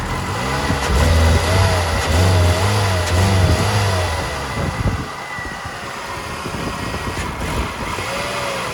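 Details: 2000 Toyota Yaris 1.3 VVT-i automatic, no fault codes; plugs, air filter, fuel pump and throttle position sensor replaced without fixing it, MAF not replaced: engine surges and sags unevenly when revved, a hesitation misfire of unknown cause.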